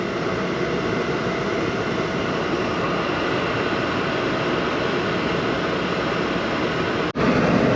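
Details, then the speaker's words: 2012 Chevy Malibu, about 86,000 miles, warmed up, heater blower on highest setting after blower motor resistor replacement: strong steady air rush at constant pitch, no squeal or ticking; normal on high. "I set it to the highest level you can hear the fan blowing"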